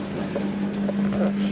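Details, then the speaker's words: Boiler just fired after radiator installation, system vented, pressure just under 1.5 bar: steady low hum with soft rushing, holding even once lit; burner firing normally, heat coming through the flow straight away. "Right, there we go, the boiler's just fired up, you can see that."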